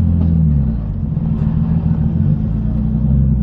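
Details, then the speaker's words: R33 Nissan Skyline bought as a cheap project car, recorded while driving on the road: a deep road rumble with a steady low drone that holds under load as the car pulls along. Horrible-sounding gearbox, a gearbox noise while driving. "you guys can hear the physically gearbox one it's just horrible oh how I managed to catch it"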